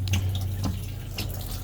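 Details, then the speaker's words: 2003 Winnebago Itasca Sunrise class A RV after replacing the water heater drain valve: faucet runs in a sputtering, uneven stream with bursts of spitting, hot and cold lines giving little flow, from air trapped in the water lines. "this is all hot water air so cold water and we still got nothing but a little streaming up there"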